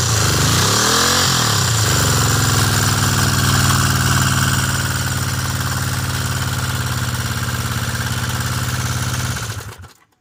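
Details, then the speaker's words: 1974 Honda CB360T, mostly original, after tune-up, new points and condenser, rebuilt carbs: fires into a fast, even idle with busy top-end clatter, then shuts off; missing center cam shim crushed the cam and damaged valve cover and head top. "It's a little noisy in the top end. I have some issues. Someone put the valve cover on before I owned the bike. Didn't put a shim in the center cam and crushed the center part of the cam"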